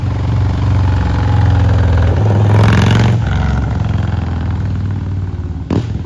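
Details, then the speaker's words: 2003 Victory Vegas, 92ci/1507cc V-twin, slip-on mufflers removed, warmed up: deep, very loud, blatty bark swelling as throttle opens and falling back; open pipes without mufflers, engine itself running normally. "It's definitely loud."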